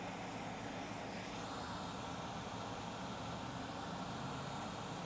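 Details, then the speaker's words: Late 2012 iMac 27-inch powering on after resoldering a chip back onto the motherboard: loud fan rush at high speed, no 9-beep error, third LED lights. "Clean up, and we'll see. Plug it in. Fan is spinning high, like usual."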